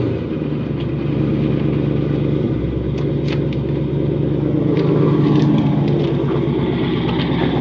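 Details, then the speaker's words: 1989 Mustang notchback with a twin-turbo Coyote V8 swap, no mufflers and 3in straight pipe into twin 2.5in pipes, warm idle: a deep, even, loud rumble with steady firing and no misses or knocks; normal idle. "so it's actually pretty quiet idling away considering there are no Mufflers on this car it is straight pipe 3in wide into the two two and a halfs"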